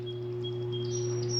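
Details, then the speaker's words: Hessaire portable evaporative cooler, new oscillation (swing) motor soldered in and bench-tested before installing: steady even low hum, no rattle or wavering, birds outside; motor healthy. "You can hear it humming as well, and you can hear all the pretty birds out there."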